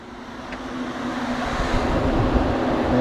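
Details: Steady rushing airflow building over a few seconds then holding even, no rattle or scrape; dual electric cooling fans on a new 3-core aluminum radiator in a 2002 Chevrolet S10, switched on by toggle, running normally.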